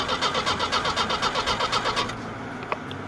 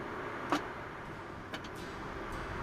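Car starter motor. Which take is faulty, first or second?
second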